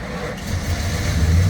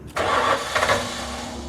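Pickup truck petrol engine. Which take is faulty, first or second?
second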